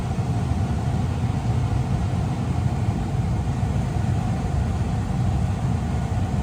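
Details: 2022 Tesla Model 3 rear-wheel drive with heat pump, very warm day, defrost on, heard from outside: steady, even low hum with no rattles, grinding or surging; heat pump running normally.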